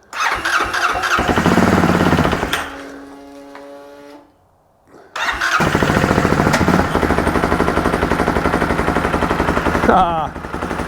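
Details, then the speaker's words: 2013 Spire 800 UTV with newly installed Bennche 800 engine, first start: cranks, catches, after restart steady even quiet idle with no knocks or ticks; healthy. "sounds good nice and quiet idling beautifully"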